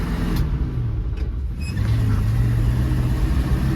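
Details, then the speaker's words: Squarebody floored, holding a flat low drone that never climbs, bogging from seized carburettor secondary throttle plates. The exhaust was checked and not clogged, and a timing adjustment did not fix it. "So why is this thing so boggy? I still have yet to find out."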